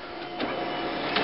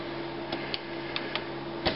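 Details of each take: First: LaserJet 4000-series printer with error 41.5, separation roller and clutch properly seated, running a test page: an even feed whir with clean page rustles. Printing normally. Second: Laser printer (LJ400 series) with the lower paper tray inserted by itself: steady hum while feeding with scattered clicks and a loose, uneven rattle; then a 41 error and blank page, misleadingly suggesting the scanner assembly.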